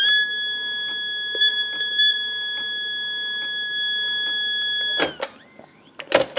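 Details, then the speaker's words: Mechlabor ML Riporter 7A, Hungarian mono reporter's cassette recorder: steady piercing electronic tone for about five seconds, then handling clicks; this is the alarm that sounds when no cassette is inserted. "if I take the tape out it will do an alarm to let you know hey there's no tape inside"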